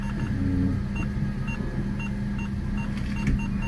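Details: 2007 Opel Corsa D 80 hp with Easytronic automated manual gearbox, fault code P1607 clutch actuator malfunction; steady idle with chime every 0.75 s, then gear engages cleanly and car pulls away evenly.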